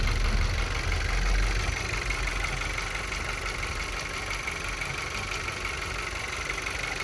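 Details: 2013 VW Golf Mk7 1.4 at idle with random/multiple-cylinder misfire codes P0300, P0301, P0302 that do not return after clearing; slight oil smell after long drives, cause unknown: uneven shake with occasional stumbles in the low rumble.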